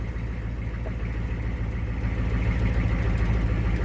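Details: 1983 Ford F-250 6.9L diesel, manual, started after sitting 8 years: deep steady diesel clatter settles into an even idle with no misses or knocks; sounds healthy.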